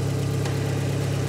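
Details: 2020 John Deere ProGator after replacing the noisy transmission input shaft bearing, tested with the clutch in and out: a steady, even low idle hum with no whine, growl or rumble from the gearbox. It sounds healthy.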